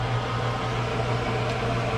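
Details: Outdoor wood boiler smoke evacuation/draft fan kicked on to stoke the fire after GFCI power restored during circulator pump replacement: smooth constant low hum and airflow rush, no knocking or scraping; normal operation.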